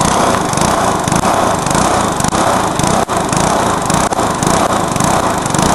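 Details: Briggs lawnmower engine deliberately run to destruction, with nitro added, after a backfire: screams flat out at a harsh, ragged high pitch with no governor control; over-revving toward failure.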